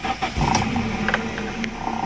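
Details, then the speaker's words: 2002 Toyota Soluna GLi, manual, over 18 years old: brief crank, then steady even idle with no knocks or misses; warning lights all off, engine normal and smooth. "jadi mesin normal tertutup mesinnya halus"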